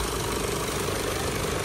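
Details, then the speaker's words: Isuzu Altera at idle with AC on: loud, dense whirring rattle from the AC compressor over the engine; compressor noisy and not cooling, to be replaced, refrigerant leak found. Cause suspected, not confirmed. "o maingay din ng compressor para din yung subaro ayan parang magic oh ang ingay mas maingay pa dito"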